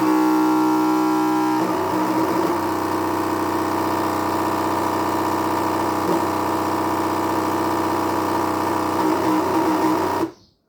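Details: Anycubic ACE Pro filament feeder not loading filament: steady motor whine turning into a rough, chattering grind.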